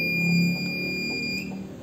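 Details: Car DC-to-AC power inverter that lights red when switched on: steady high-pitched electronic beep over faint hum, still sounding after cleaning; no residual high voltage found at the output capacitor after the transformer. Inverter fault alarm.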